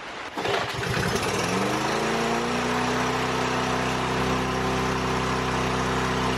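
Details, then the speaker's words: Lawn mower being repaired for running at full throttle, test start indoors: pulls on, climbs fast to a high steady drone pinned at top revs with no settling to idle; still runaway full throttle. "Well, I think it's still running at pretty much full throttle."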